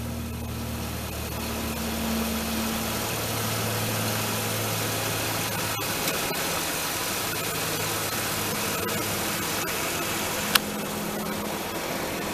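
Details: 1996 Ford Explorer just started: even, steady engine hum with a low drone, no knocks or misses; healthy fast idle that later settles lower.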